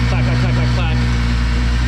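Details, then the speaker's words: 12v VR6 Jetta wagon idling after engine refresh with timing and maintenance done: smooth, even, low-pitched idle, no misses, knocks or ticks, no chain noise anymore; much better than before. Normal idle. "oh she's purring listen to that that's that's so much better nice and smooth no chain noise okay well it runs good now"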